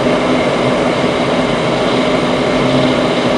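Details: Goodman furnace starting after gas valve replacement: steady even whoosh and hum, no rattles or surges, draft fan and burners come up and settle into normal run.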